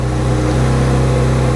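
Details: Kawasaki Z900RS on a cold start: deep, steady idle starting around 1750 rpm then creeping up to near 2500 rpm. The high cold idle is an emissions-related setting; the cheap fix is adjusting a tiny idle knob.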